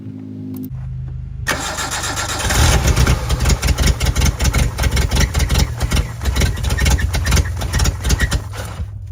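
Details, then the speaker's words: 1988 Suzuki Samurai parked since the late 1990s, first start on a temporary gravity-fed fuel tank: fires after a few seconds of cranking into a lumpy, uneven idle. The owner suspects it struggles to draw fuel. "Pretty cool, it starts up though, huh? I just think it has a hard time getting fuel into it."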